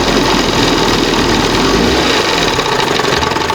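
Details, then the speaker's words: 1971 Johnson 20 HP two-stroke outboard after carburetor rebuild: steady, even buzzing idle under a constant rasp, no misses or knocks; cam on first mark, responding well, idle screw had been set slightly lean; normal idle. "It's on the first mark. Probably going to be the best place. See how now it reacts before it didn't That's probably the best what this thing's going to get."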